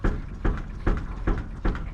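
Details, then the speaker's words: Volvo 245 with over 3-inch lift: dull low thumps about every 0.4 seconds as body rebounds, not the exhaust hitting; shocks reaching full extension, new shocks ordered; suspension topping out. "And that's not quite the exhaust hitting. Well, I expected this sort of thing would happen. We're at the top of the shock absorbers."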